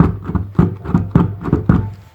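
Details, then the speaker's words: Mercedes W203 car audio subwoofer, one of two removed; the other failed a year earlier, this one now makes noise it shouldn't: uneven bursts of deep rattly thumps about twice a second, no clean bass note; blown subwoofer. "The reason for that is because they don't work anymore. We were driving around and listening to music. This one went out, and then I just, for about a year, I was just using the one and listening to it."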